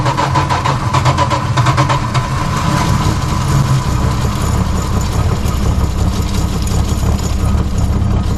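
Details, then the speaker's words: Barn-find 1973 Dodge Dart Swinger, 225 slant six, freed after nearly three decades locked up. It was soaked with oil and given a new battery, cleaned plugs and gas down the intake. At first start it idles with a steady, even low rumble and no knocks or misses. "let me know something so far nothing's on fire good news sounds good though"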